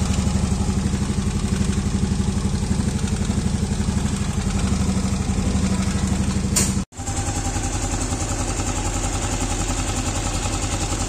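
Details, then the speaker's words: Yamaha Aerox scooter after valve clearance adjustment, which cured a ticking noise that appeared when hot; rocker arm fine: steady, even idle pulsing about four times a second, no ticking or top-end clatter; normal idle. "Di adem dong. Alhamdulillah ya guys. Ternyata permasalahannya itu hanya di settingan klep ya guys."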